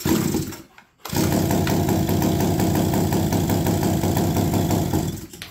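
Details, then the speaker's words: APC mini chopper garage-sale find, first start with no exhaust fitted: catches after a pause, runs rough with raw popping, then dies; stalling after start, owner suspects flooding, possibly wrong carburetor diaphragm. "nope okay so it's reacting to that nope so this thing is flooding out like crazy"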